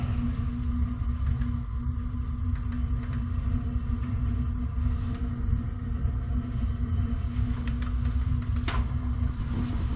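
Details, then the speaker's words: Gas water heater with poorly connected flue, second heater turned on: low steady burner roar with a rough fluttering rumble underneath; dirty burner suspected, sounds like it needs cleaning. "sounds like it needs cleaned or something this is from third 213."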